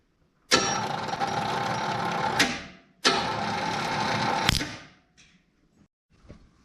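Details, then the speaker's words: 1970 GMC truck with original starter refitted: two 2-second bursts of harsh whirring then silence, engine never turns over; starter suspected bad. "all right i don't think that starter's any good what do you all say ah man i wanted to hear it crank"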